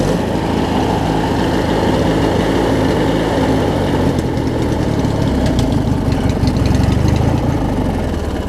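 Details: Opposed twin-cylinder Craftsman riding mower engine after a starter replacement: settles into a steady, even idle with a smooth low throb and no misses or knocks; running healthy.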